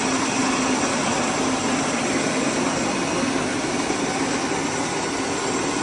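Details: Sam Yod rice mill after replacing the broken motor-pulley bearing and fitting a No. 3 flange, test milling: steady even rush, no knocks, grinding or wavering; mill running smoothly.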